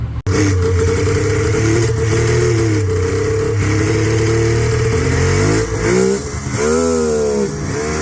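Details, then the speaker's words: Yard-find Polaris Indy snowmobile, running hot while revved: two-stroke blips up and settles with a sweeping pitch, odd extra noises coming and going; cause unknown. "What in the world? I don't know what happened, but it's making some noises now."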